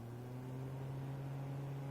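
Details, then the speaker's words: Panergy portable misting fan (about 80 mm), running on speed one: a steady, fairly loud low hum at constant pitch that is clearly audible even at the lowest speed; loud motor hum. "donc là on a un bourdonnement qui est quand même bien présent et malheureusement ça dans un open space par exemple c'est pas forcément viable pour les pour les collègues parce que là le bruit est quand même très très audible"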